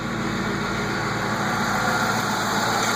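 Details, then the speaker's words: 1999-04 Ford Mustang GT 4.6 2V after engine removal and replacement: starts right up, smooth even idle just right, steady hum with no ticking, knocking or rattles; low coolant light from a faulty reservoir sensor, coolant not low. Normal idle. "She runs great, sounds good, starts right up. There she is. I don't know if you can see that. Idle's just right."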